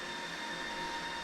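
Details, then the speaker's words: Pure FlashArray controller rebooting after Purity 6.7.3 non-disruptive upgrade: even airy rush with thin steady whine as cooling fans ramp up right as the controller comes back online, power and network up; normal boot behavior. "the fan ramp up is the like right as the controller comes back online and so the the power is on the Network's on"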